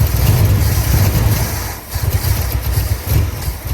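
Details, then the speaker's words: 1965 Ford F100 on 1974 chassis with reportedly new crate 390 V8, automatic: lumpy, uneven, surging idle; rough running, owner suspects a major vacuum leak possibly at the intake, unconfirmed. "It still sounds like I got a major vacuum leak. I wonder if it's my intake."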